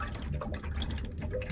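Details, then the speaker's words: RV camper water heater draining through opened valves during winterizing: steady low gurgling and dripping as water runs out; normal draining. "now there's also you can hear the water heater gurgling right now"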